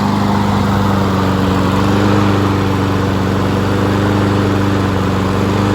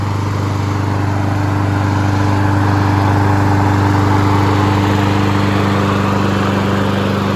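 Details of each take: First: Honda HRN216VKA lawn mower being run dry on TruFuel for winterizing; engine speed hunts and surges slightly, then begins to falter and die as the carburetor runs out of fuel: surging from fuel starvation. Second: Honda HRN216VKA lawn mower running outside on TruFuel while being run dry for winterizing; even, fast steady drone at constant speed with no misses, knocks or rattles; engine running smoothly and healthy.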